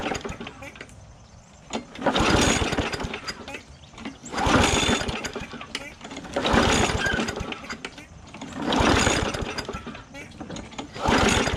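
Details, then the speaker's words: Bolens 22-inch push mower with pulse carburetor: repeated pull-cord yanks about every two seconds, a few weak pops, never runs; owner suspects water being drawn from tank. "Sounded like it wanted to pop off a couple times, but it might be pulling gas up too. Or sorry, water out of that tank with that pulse carburetor."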